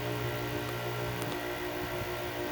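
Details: Air-conditioning compressor converted to an air compressor after copper tubing replacement, running as pressure builds to about 20 psi: even low hum, steady tone, no knocking or rattles; normal running.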